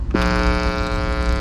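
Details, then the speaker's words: Swappable tone stack section of a home-built tube guitar amp, open and unshielded: loud, constant mains buzz with dense overtones, easing slightly when ground is touched; hum pickup before adding metal-tape shielded enclosure. "you can already hear a good amount of foam coming from here now if i touch the ground it goes away a little bit"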